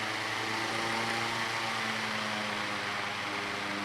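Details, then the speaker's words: Kwik Kool oscillating fan with the oscillator hitched up by wire: quiet steady hum and fan whoosh, no rattle, but low pitch; owner thinks the oscillating cam's friction is slowing the motor's rpm. "but i think it's killing the rpms of the fan because of the work of the oscillating cam there's enough friction there to kind of slow it down"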